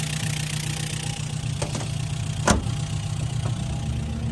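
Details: Acura Integra GSR B18C1 with new ACT clutch and lightweight flywheel, warm after test drive through all gears, oil/fuel pressure 40 psi, no leaks; steady low idle hum, couple of faint clicks, no knocking. Normal idle.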